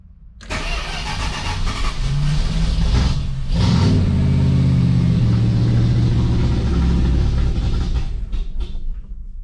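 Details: 1979 Lil Red Express truck after six months of winter storage, cold start with a little gas once oil pressure built: cranks briefly, catches at once, settles into a deep steady V8 rumble with a throttle blip; healthy start.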